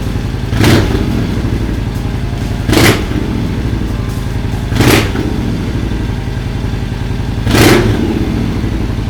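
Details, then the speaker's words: Excelsior-Henderson V-twin with H5 cams and high-compression pistons, first start after fitting a high-output fuel pump, just under a quarter tank: steady idle with short throttle blips, picking up cleanly each time; running fine. "Well, she runs."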